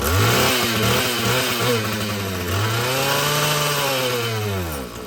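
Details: Husqvarna 445 chainsaw after cleaning and tune-up: the two-stroke rises cleanly to a high scream and drops back without bogging or hesitation; it runs properly, though further carburetor adjustment may be needed as the diaphragm loosens.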